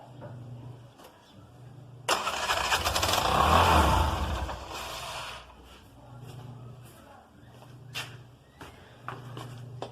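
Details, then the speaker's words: Bajaj motorcycle taxi with a 12.8 V battery: engine fires on a shot of added petrol, runs ragged about three to four seconds, then dies; spark is present, fuel starvation suspected from a fuel system or pump fault or empty tank. "हमें पता चलता है कि engine gasoline के कारण शुरू हुआ है और हम जानते हैं कि चिंगारी आ रही है क्योंकि यह लगभग चार सेकंड के लिए थोड़ा जलती है लेकिन ऐसा लगता है कि गैस सिस्टम गैस नहीं आ रहा है या गैस टैंक खाली है"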